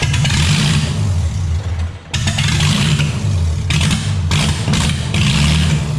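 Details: Ford Mustang V6: deep, lumpy note that surges and dips under throttle blips with gaps between pulls, as if not firing on every cylinder; owner suspects another vacuum leak or unconnected spark plugs, not confirmed.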